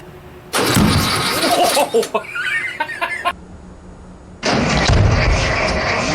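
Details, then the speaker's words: 1956 VW Beetle engine, first start, chilly day, carbs primed with carb cleaner, coil now powered: cranks, fires a few ragged bursts on primer, then stumbles and dies; owner says it runs fine, problem is fuel supply. "honestly I'm going to say that it runs fine my problem right now is fuel supply"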